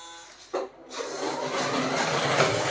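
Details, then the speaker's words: 1/10 CMJ toy RC Range Rover Sport, two-wheel drive, driving indoors after failing in long grass: click then harsh buzzy whirr building and holding; abnormal steering servo noise, cause unknown. "horrible servo noise so i don't know what's going on there i've never had a toy rc car that does that"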